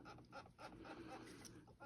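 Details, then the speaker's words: OEM water pump off a 2004 Mitsubishi Galant 3.8L V6 6G75 non-MIVEC at 180,000 miles, removed, drained and turned by hand: short bird-like squeaks about three a second from a worn bearing; the pump had been leaking coolant. "And another good sign that you need to change, that I needed to change this, is you can kind of hear it. Of course, it wasn't doing it for me right then, but now you can hear it. And it's squeaking."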